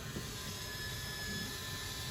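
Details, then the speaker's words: 2022 Wildwood 42FLDL RV roof vent: steady, even motor whine with a faint high tone as the powered vent runs fully open or closed, then stops automatically; normal operation. "you can press and hold open that vent opens itself up once it's fully open you're going to hear that motor whine and then stop in place there you go"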